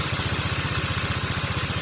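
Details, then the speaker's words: Water-cooled motorcycle that overheated with coolant boiling, engine previously opened, original bore: quick, even putter of about thirteen beats a second with no misses or rattles after starting; smooth, healthy idle. "Oke kita hidupkan Hai Ah ini baru ya oke suaranya bagus suaranya halus"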